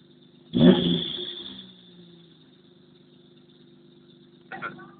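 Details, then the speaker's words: Mazda 626, 152,000 miles, cold start: thin steady high-pitched squeal over a low, even cold idle with a brief rev-like surge; belts reportedly tight, owner suspects alternator belt, not confirmed. "got 152,000 miles on it but I tell you what she squeals like a pig let me show you true David's fire startup cold start"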